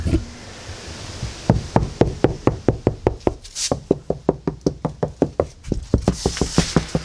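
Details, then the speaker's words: Toyota AE92 after acoustic liner and sound deadening, at low revs: sharp regular ticks about four per second from the doors; loose door handles rattling. "door handles rattling. Yeah, just daily things, eh? All the ugga-duggers."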